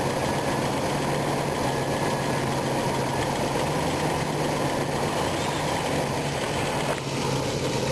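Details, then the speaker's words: RV V8 after a new distributor, timing off while rotating it: heavy idle running low and uneven with a shaky, loping beat, worse with rotation, nearly conking out; rough idle, timing suspected. "anyways got it started it sounds like it's about ready to conk out again crazy"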